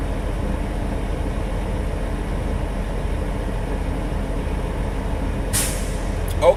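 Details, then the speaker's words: International truck idling during air brake inspection, building pressure to governor cut-out before a static leak test; steady diesel idle then a sudden sharp air hiss as the governor cycles; normal air governor cycling. "governor just cut back though we're gonna wait a minute and let out with our turn our truck out"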